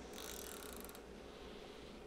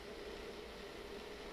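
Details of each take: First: Home treadmill after adjusting belt alignment, belt previously running too far left and rubbing plastic side trim: brief scraping hiss falls away to low even running hum, no rubbing; belt now tracks centrally. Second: Treadmill running with belt tracked too far left, steady hum with faint continuous scrape as belt side rubs the inside trim.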